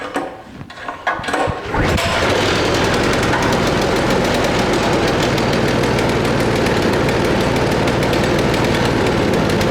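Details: 1970s Cub Cadet 265 snow blower repowered with new Harbor Freight Predator (Hemi) engine, fresh Rotella oil, clutch disengaged, first start: a few cranking pulls, then catches into a fast, steady firing beat; runs normally.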